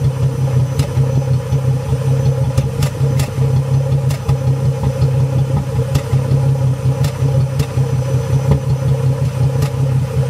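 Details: 2005 Mustang 4.0 V6 rough idle with popping, idling in the 600s rpm with A/C off; turning on A/C brings normal 700s idle. Spark plugs and fuel filter already changed, throttle body and MAF cleaned. Low, uneven idle with irregular pops and stumbles.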